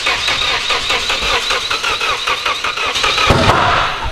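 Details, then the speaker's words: Project car: starter cranks in quick even beats, then the engine catches and runs briefly, slightly ragged; unclear if misfire or normal, later found over-enriched. "well it ran that's sick I can't tell if it just sounds like a k or if it's misfire I think it's I think we fire it up and figure it out"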